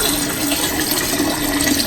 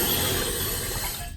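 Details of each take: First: Toilet tank refilling after lowering the fill valve: steady hiss and rush of water with light gurgle, slowing as the level nears the top; normal refill, though the water level still sits slightly high, just over the overflow. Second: Toilet fill valve set too high (should be about 1.5 in above the overflow tube), so water runs into the overflow tube and down into the bowl: steady hiss and trickle, fading as the supply is shut off before adjusting it down.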